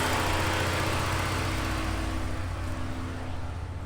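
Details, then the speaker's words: Tuned 2015 Ford Taurus Limited overheating at idle and leaking coolant, cooling fans on: steady idle with rough, uneven whirring near the belt area under the fan roar; cause unclear. "over here where the belt is it's like making like a sound you hear"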